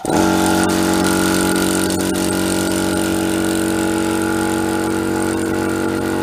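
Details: Chinese 24–50 litre air compressor after repair of a knocking fault, with a near-original part fitted inside: starts and settles into an even, steady hum with a clean tone, no knocking; running right.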